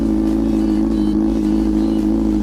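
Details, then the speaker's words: Yamaha R6 four-cylinder sport bike, very loud exhaust, idle set high around 2,000 rpm to stop sputtering at low rpm pulling from a stop: fast steady idle alternating higher and lower; owner wants it lower. "Because right now I'm already sitting at like 2K, and that's just to keep it from sputtering at low RPMs when I'm trying to like go from a stop. You'll hear like the high idle, lower idle, high idle, lower idle."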